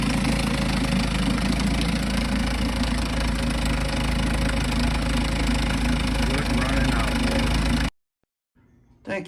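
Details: 1952 Johnson SeaHorse 10hp two-stroke outboard, trash-found, running without carburetor rebuild or new impeller: steady, even putter at constant speed, no misses or knocks, then shut off. Runs good; needs only a pull rope, O-rings, possibly a twist grip and a gas leak fix.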